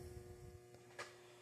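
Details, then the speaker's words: DIY 120 V one-to-one high-voltage isolation transformer on a variac: at about 100–112 V the input draws about 2 A and it starts to hum, a faint steady low buzz; owner suspects core saturation and may add windings. "Once we get up to about 100 some volts, 112, it's like 2 amps. It's really starting to hum."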